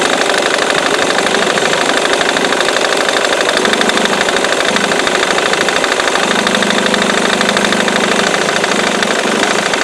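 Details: Ford Mondeo Mk3 2.0 TDCi diesel at idle: steady busy clatter with a repeating knock over the engine note, persisting after the crankshaft pulley (Febi), accessory belt and tensioner were replaced four months ago.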